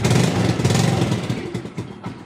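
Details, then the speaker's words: Motorcycle left unused about a week during the Lebaran trip, after charging its run-down battery: catches straight away into a steady, even idle with no cranking struggle; normal start. "Kita coba lagi. Oke, alhasil mantap. Langsung nyala ya ini karena"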